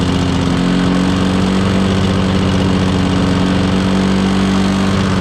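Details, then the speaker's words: Old Lawn-Boy 10550 two-stroke push mower, auction buy, plastic carburetor with air-vane governor: steady low flat drone, no climb to full speed despite full throttle travel; owner suspects dirty carburetor or unknown adjustment screws. "Anyway, it didn't seem like it was getting up to full RPM, but I checked. The range of motion on the throttle was all the way."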